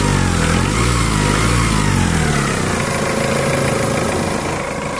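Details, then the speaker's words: Mitsubishi Adventure diesel idling, with the power steering and alternator belts removed and the pump and water pump checked OK by hand: steady rough whirring rumble. The timing belt idler bearings are judged worn, and the timing belt and bearings need replacing. "Pwede pa kasing panggalingan ng ingay yung mga bearing dito sa timing belt niya."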